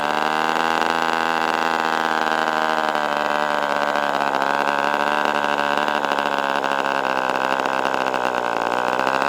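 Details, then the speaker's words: Ross Black Demon 61 glow engine on its first run with a Perry carburetor, on a 71°F day. High buzzy note wavering and sagging; the lowest idle stays around 4,000-something rpm, then drops way down and dies. "So, it's hard to actually find an idle speed, but I'd get it to what I It seemed like the lowest movement and it would still be like 4,000 something and then it would go way down and then just die off."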